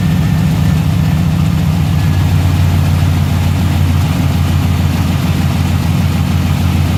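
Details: 1990 Chevrolet K1500 truck, 5.7L 350 V8, automatic transmission, before repair: deep, loud V8 idle with a rough puffing pulse riding on the firing beat; exhaust leak, apparently near the manifold.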